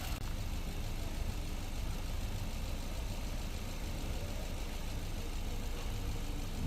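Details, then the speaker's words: 2021 Maruti Brezza petrol, 50,000 km, after engine overhaul for suspected bent connecting rod, warming at idle without revving: smooth, even low idle with no knocks, ticks or rattles; very quiet, healthy engine. "बहुत ही ज्यादा silent आवाज हो गई यार मैं कहते हैं ना जो बहुत ही ज्यादा साइलेंट आवाज वो आवाज हो गई साइलेंट"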